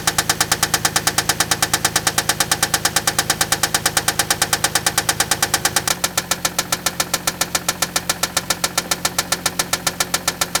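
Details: Toyota Land Cruiser engine at idle, during tests before opening the engine: fast, evenly spaced hard knocking; screwdriver listening places it near cylinders 3 and 4, oil inspection inconclusive, cause unconfirmed.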